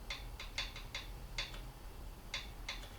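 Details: Triumph Bonneville T140E, engine cold, right-hand valve closed: light uneven metallic ticks as rocker is rocked by hand, showing gap; clearance correct (spec 0.008 in intake, 0.006 in exhaust).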